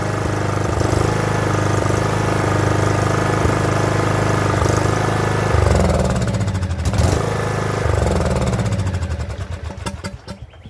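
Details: Craftsman LT2000 riding mower, sat about a year, after fixing rough running and surging: even, steady putter with no surging or hunting, idle a touch slow but running cleanly and smoothly; normal idle.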